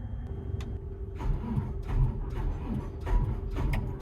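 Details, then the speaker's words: Diesel plant machine cranked cold after preheat on spare batteries: weak, uneven groans and clicks that never spin up or fire, matching the original fault; the mechanic suspects the aftermarket starter motor. "But to prove a point that it's a starter, we'll leave those batteries on it for now, and then we'll put the starter motor on."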